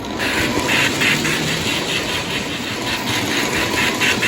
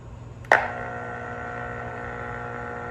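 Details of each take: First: Lionel 6200 turbine (6-8404) tender Sound of Steam after fix: drawbar wrapped in Scotch tape to isolate the tender frame from track ground, stopping the interference; even rhythmic hissing chuffs over a light motor hum, no buzz, working normally. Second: Lionel 6200 turbine (6-8404) tender's Sound of Steam unit: a sharp click, then steady electrical buzz with ringing overtones when grounded through the engine drawbar; the short causes interference and the whistle goes haywire. The tender is fine grounded alone.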